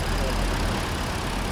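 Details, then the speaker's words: Used car bought in Thailand with about 91,000 km shown, mileage doubted: uneven idle with a loping, stumbling low rumble that skips now and then; spark plug misfire. "And the spark plugs, the spark plugs are misfiring."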